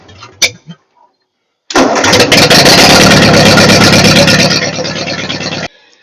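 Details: Ford 8N tractor after sitting for years, freshly rewired with amp gauge, fuse and fusible link, 12-volt system, fuel on about two turns: short crank, then it catches quickly and settles to an even, steady run; a clean, healthy start.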